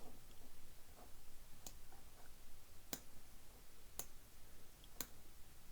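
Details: 1936 Crosley Model 516 Fiver radio switch after repair with a new 5/32 detent ball and sewing machine grease: crisp single clicks about once a second in a quiet room, firm snaps as it seats cleanly; normal detent action.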